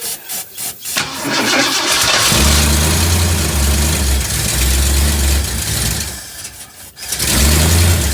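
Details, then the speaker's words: 1958 Ford F100 with carb work and a replaced fuel line, cranked to get fuel up to the carb, choke on, fuel filter suspected as part of the earlier problem. The starter cranks a few beats, then it catches and settles into a steady idle with a brief dip: normal running. "there we go chok on uh you know what no idea right now we are up and running I think"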